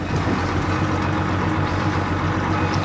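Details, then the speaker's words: Boat outboard, self-priming, cold start with no bulb priming, starts after a few seconds' wait: smooth, even low idle with steady rhythm and no misses, knocks or rattles. Normal idle. "just wait a few seconds there we go just starts like that very easy very"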